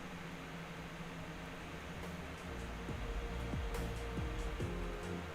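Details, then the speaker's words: Riden RD6024 1500 W bench power supply after build, under light load: fan hum with steady tones, pitch dropping several times as the fans spool down; fan speed scales with load and temperature, normal control. "so there's a little bit of low load already I guess because I can hear the fans change and let's hit it immediately it's not as loud immediately as it was at the end so it might be load somewhat load related but also temperature related"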